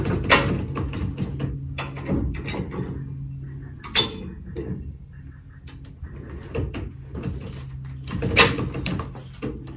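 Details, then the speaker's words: High-lift jack on the Hamer bullbar of a 2-inch-lifted Ford Ranger, lifting the wheel: sharp, uneven clicks every second or two as the jack climbs notch by notch; normal ratchet clicking. "you're gonna hear the clicking noise every time it climbs up so [Music]"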